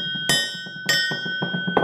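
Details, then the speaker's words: Good-quality bronze boat propeller struck, in comparison with a corrosion-damaged one: two sharp strikes, each followed by a clear, lingering bell-like ring. Healthy, sound propeller. "so you can hear the difference in the qualities of the metals the good quality bronze propeller there the dead bronze propeller here"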